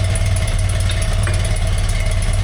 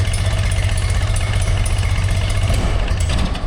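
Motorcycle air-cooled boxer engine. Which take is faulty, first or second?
second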